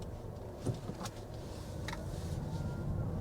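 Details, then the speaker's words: 2021 Toyota Avalon Hybrid XSE, 2.5L four-cylinder with electric motor and eCVT, light acceleration: quiet cabin, faint road rumble and thin whistle rising with speed from the electric motor; normal electric drive whine. "if you guys hear that little whistling sound that's because the electric motors is on"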